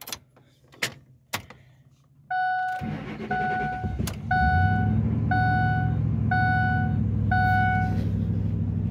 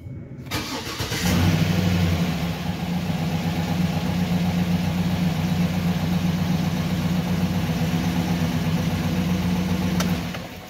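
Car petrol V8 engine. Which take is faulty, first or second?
second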